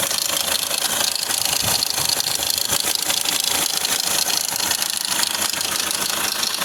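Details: 2010–2016 Hyundai Accent CRDi diesel idle with a fast, fairly even metallic clatter about three per second; loose timing chain suspected as a common problem, unconfirmed.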